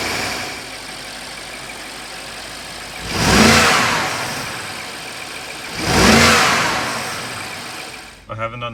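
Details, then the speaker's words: BMW 550i F10 N63 V8 after new spark plugs and ignition coils: steady quiet idle with two clean blips that rise and settle evenly, no stumble or hunting; earlier small idle rpm fluctuations gone, revs respond without delay. "acceleration yet but the car definitely idles better I used to have very small fluctuations in two rpms as it's idling it's perfect now"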